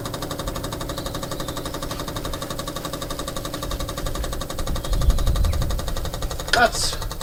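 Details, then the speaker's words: Barn-find 2CV flat-twin three-wheeler stored 25 years, electric fuel pump bridged with clean fuel, spark plugs out: quick steady ticking about four per second with faint trickle of fuel into carburettor. Normal electric fuel pump ticking. "Tôi thực sự có thể nghe thấy tiếng xăng chảy vào bộ chế hòa khí, được rồi, nó sẽ không nổ máy bởi vì không có bugi đánh lửa trong đó"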